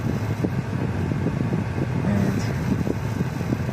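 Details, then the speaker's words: Sudden power loss while driving: revs jump, car shakes; idle lurches with uneven low thumps and dropped beats; one cylinder misfiring, owner suspects coil or plugs, traced to its ignition coil. "и теперь прыгают обороты машины тресет как это как не знаешь что на ходу дела либо короче кита пропуске по звуку как subaru скорее всего потрудился какой-то цилиндр"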